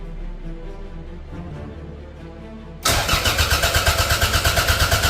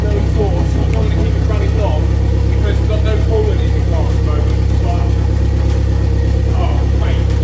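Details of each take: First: Toyota MR2 engine freshly installed in a budget track car, no coolant in yet and an earth missing. Fast, even cranking beats that never catch. Cranks but won't fire; smells of fuel, and no spark is suspected but unconfirmed. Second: Toyota MR2 track build, first run after an engine transplant and rewiring a wire, kept short. A loud, deep, steady unmuffled rumble with an even firing beat and no knocks or misses. Normal running.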